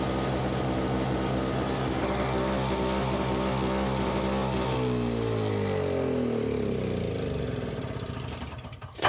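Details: Simplicity 520 single-stage snowblower (5 hp, 20 in), second start on choke: engine runs steady, then slows as the auger drive takes load and nearly stalls, which it should not do; owner suspects the carburetor.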